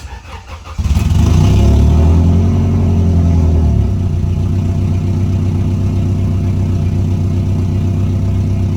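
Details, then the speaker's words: Integra starting after the vacuum leak was repaired: a clean, quick start and a short rev flare, then an even idle just under 1000 rpm while still warming up, with no hiss or stumble. The leak appears fixed. "right now this is just under a grand but the car is still warming up so I think it is safe to say that our leak is fixed"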